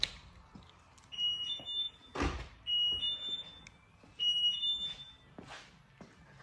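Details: Lamborghini Murcielago after driver door lock actuator replacement: short whirring actuator runs with crisp clunks, repeated several times, both locks cycling cleanly; locking system working properly.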